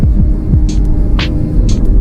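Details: Car engine after repair in Kashgar: rough G219 road had dented the engine skid plate into the engine/oil pan, causing loud noise and vibration from about 1500 rpm. Plate pried away, and the engine now idles with a low, steady throb and no rattling.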